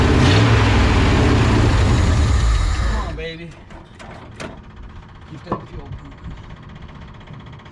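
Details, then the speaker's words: 1970 Ford F-250 V8 field find, first start attempt with electric fuel pump on and new fuel: runs strongly about three seconds then revs sag and it dies with a few clunks; owner suspects weak fuel pump, carburetor needs work; stalls after starting. "that okay make sure you guys are seeing all this good oh yeah and that fuel pump's not strong enough we'll see didn't like that"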